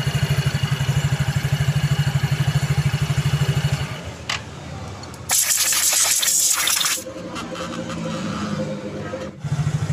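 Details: Yamaha Mio J scooter after repair of a slipping one-way starter clutch, reassembled so it turns only one way: starter cranks the engine with a quick even rhythm, then it catches and runs; starter drive now engaging properly.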